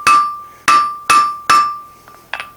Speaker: makes you think about blacksmithing for about the first minute or so and then it gets pretty annoying and it's kind of hard on your ears